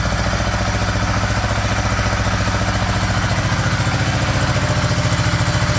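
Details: 1975 Honda GL1000 Gold Wing flat-four after water pump gaskets and O-rings replaced: smooth, even idle running slightly fast with choke on, no knocks or rattles; no leaks, much less smoke, sounds pretty good.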